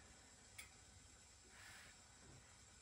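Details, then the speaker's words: Home steam boiler cooling down after a call for heat, equalizer shutoff valve closed as an experiment: main vent opens as the system cools, hissing softly as it lets out the last pressure; normal. "that's my main event opening and it's making a little bit of a hissing sound so right now it's letting out it opened because it got cool and now it's letting the um the last of the pressure out of my system"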